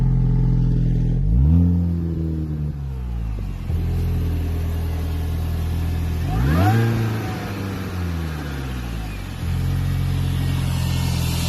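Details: 2004 Mini Cooper R53 JCW supercharged petrol: lumpy, uneven idle, blipped twice and settling back. It started after head gasket and timing chain replacement plus other small fixes.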